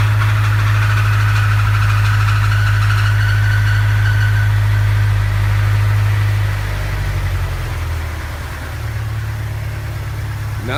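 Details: Mazdaspeed 3 idling: deep, uneven drone with a faint rhythmic knock; teardown found a broken rod bearing.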